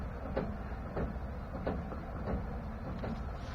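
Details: 2016 Chevrolet pickup, truck rocked back and forth: dull metallic clunks about every two-thirds of a second from the rear end; dealer and a GM engineer called it normal, cause not pinned down.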